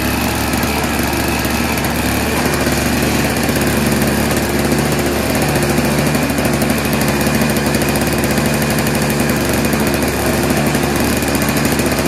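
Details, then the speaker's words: Junk single-stage snowblower with Tecumseh engine and bowl carburetor, pull-started: loud, clattery drone with an uneven, lumpy beat that never settles; rough running. "what do you say we try to pull start it a couple times oh that sounds terrible"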